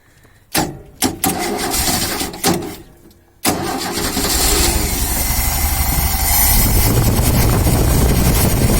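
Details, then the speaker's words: 1972 Ford XY Falcon 4x4 ute, very rusty, fuel tipped into the carburetor: a few short cranking bursts, then a long steady crank that never fires. Suspected not enough fuel; unconfirmed. "we're getting fuel not quite yet this is on Oh well sounds like not enough fuel not hearing bubbles"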